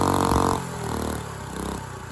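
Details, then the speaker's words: Dumpster go-kart engine with valve parts missing under the valve cover, run unloaded. A brief rev, then a drop into lumpy running with irregular beats and clatter. Owner suspects timing and probably valve lash; huge rear main leak. "And there we have it. What a turd. Definitely a timing issue and uh probably valve lash issue, but I think I'm just going to toss this in the trash."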